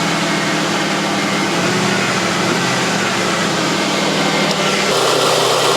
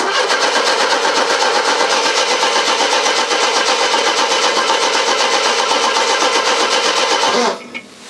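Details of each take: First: Mercedes W123, unused in the garage for a long time, battery reading 9.9 V and started without a jump: steady, even idle hum with no knocks or misses and a small pitch step near the end. Normal idle. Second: Mercedes W123, nearly a quarter tank of petrol: even starter cranking at about four turns a second that never catches; crank no start, fuel pump not heard priming, suspected fuel pump or relay fault, not confirmed.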